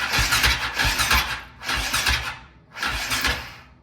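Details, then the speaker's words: KTM 525 (Outlaw) with a no-run issue: three short cranking bursts, three to four uneven compression pulses a second, never catching; weak battery needs charging, hiss heard while cranking, compression test planned, cause unconfirmed. "We're not gonna get enough juice to power it. I mean, it cranks. I just hear that go shh."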